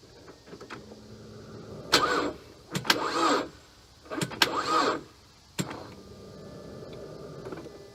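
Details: Wife's car, not driven daily, cranked after cleaning the battery terminals: two short, sharp click-and-whir cranking bursts about two seconds apart, engine never catches; cranks but won't start, cause not confirmed.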